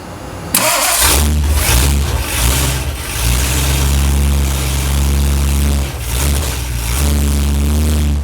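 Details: Restored Ford Galaxie 500 V8 started to check for leaks; initial timing about 10 degrees; catches quickly, even idle, clean revs to almost 3,000 rpm; alternator charging 14.6 V: normal start and rev.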